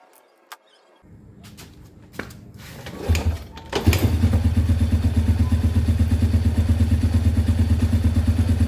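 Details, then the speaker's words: Yamaha Vega R after piston ring replacement for heavy white smoke, exhaust not yet refitted: after some fiddling the engine catches and settles into an even putter near three beats a second, no rough noises; normal idle. "Mesinnya sekarang sudah halus, tinggal menunggu sampai putaran idle-nya stabil. Tidak ada lagi suara-suara kasar."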